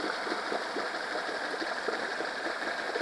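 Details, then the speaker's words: Honda 8 hp four-stroke outboard after carb cleaning and idle adjustment for ethanol fuel problems, run in a bucket: quiet, steady idle with light even tick around 1500–1580 rpm, no hunting or stumbling; idling normally. "so it's all automatic I didn't even do anything it just stay here and sounds like the 1500 is this good 1560 1580 good speed for idling"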